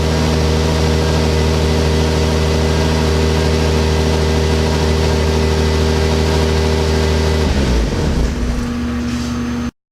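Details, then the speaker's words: Genesis Coupe during rebuild, radiator support fitted, radiator filled and airbox taped up: steady, even idle with a smooth low drone and no knocks or misses before shutoff; running good. "you filled up the radiator and the car starts up now and runs good"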